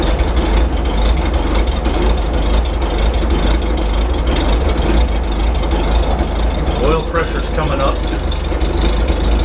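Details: Old GM 270 straight-six, carbureted, on fresh gasoline with Marvel Mystery Oil after a fuel system check, cold idle just after start-up: deep, steady low rumble firing evenly without misses or knocks, smoothing out as it warms, oil pressure reaching 64 psi; normal cold idle.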